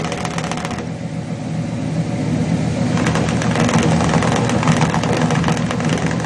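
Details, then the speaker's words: Chevrolet 350 V8 with long-tube headers and a leaking valley-side intake manifold gasket, burning about a quart of oil a day. Idle lope with irregular tailpipe exhaust pulses; cylinders 4, 5 and 6 were weak on the power balance test. "on the left bank and on the right bank we have two cylinders that are we we should be able to see an irregularity"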